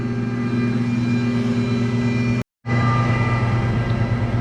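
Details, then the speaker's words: 10 hp screw air compressor, rated 145 psi, at a maple sugarbush, pressuring up before it unloads: a deep, steady hum and even drone with no knock or squeal; normal running loaded. "will pressure up to uh 145 psi then it'll unload and it'll just maintain pressure"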